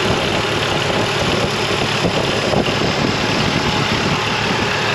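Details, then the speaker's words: Mercedes W202, bought stuck in limp mode (wouldn't exceed 30 mph) but starting fine: steady, even idle with a smooth hum and no knocks, misses or hunting; the engine idles perfectly and sounds healthy. "I mean it idles perfectly"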